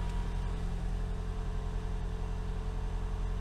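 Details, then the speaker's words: First start of a 2012 Camry Hybrid after swapping the stock NiMH battery for a lithium upgrade battery; smooth, steady, even idle hum with no knocks or stumbles, no error codes, engine running healthy. "here we go firing out for the first time you have to press the ready twice you hear the clicking you run the doctor breeze app engine fire up this is good so far"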